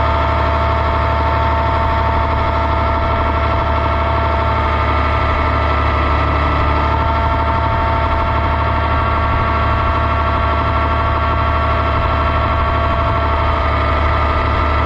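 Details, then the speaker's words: Oliver 1755 tractor after hydraulic repair, gauge on 1/8-inch pipe plug port: relief valve starts searching around 2400 psi and blows full at about 2500 (target), operating pressure at RPM now 2200; steady hiss and hum, normal relief valve operation. "it was blowing full on right about 2500 and it would start in the 2400 range you know you could hear it start to search a little bit"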